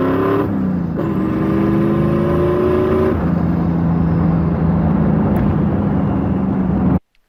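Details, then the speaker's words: Turbo Mustang with a blow-through-modified Holley carburetor, rejetted after attempt eight (70/74 jets): strong even boost pull with a smoothly rising note and no stutter. Top-end misfire cured but still rich at about 10:1 AFR, so leaner jetting is next. "right guys so as you saw in that clip ran a lot better still hitting about ten to one AFR at one point but it doesn't seem like it went under that because it didn't misfire at all from being too rich"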